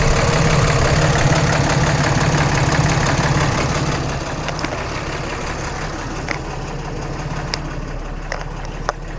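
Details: 2014 Cummins 6.7 diesel idling after a CAT 1R-0750 fuel filter install on a BMP housing, primed to about 10–11 psi: even clatter with a steady beat near three per second, no misses or surging, a few handling clicks; normal idle.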